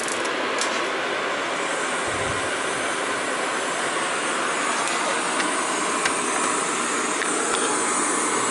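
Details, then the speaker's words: Gas boiler after vent damper replacement and burner cleaning, test firing on call for heat: steady, even burner roar with no pulsing, rumble or popping; normal clean burner firing. "what will happen is this thing will open on'll call for heat then the burner should fire this will open and the burner should fire"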